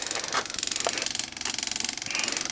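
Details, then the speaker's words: Old air-cooled Yanmar diesel, key on before a cold start at about 76°F, throttle set and compression release held: the fuel pump gives fast, light, even clicks as it primes with the engine off; this is normal. "all I have to do is turn on the fuel pump, and you'll hear it start clicking. That's the fuel pump, mechanical."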